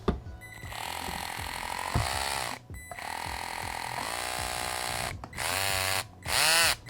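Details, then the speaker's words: Traxxas TRX-4M with stainless 40.3:1 crawl gears, greased with white lithium, installed: high whine climbing and dropping with motor speed plus gear chatter; pretty loud compared to stock. "So it's in. It is pretty loud. I'll let you listen to it. Compared to stock."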